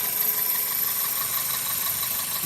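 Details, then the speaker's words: 2000 Toyota Celica GTS 2ZZ, warm idle at 82°C coolant, about 730–750 rpm, owner suspects idle air control valve for high idle: smooth even steady idle, no knocks or surges; normal warm idle. "coolant temperature is now at I don't know if you can see that the coolant temperature is at 82. the engine RPM is at 730 750 RPM throttle position interesting"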